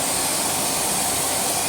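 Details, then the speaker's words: Swedish-made second-generation Electrolux Dolphin Z2230A vacuum after full refurbishment, dry brass motor bush now lubricated; vacuuming carpet, steady rushing airflow with a faint constant high whine (owner notes a slight whine, acceptable): running smoothly, normal. "let's do some more vacuuming because I do need to vacuum and this thing is beautiful let's go"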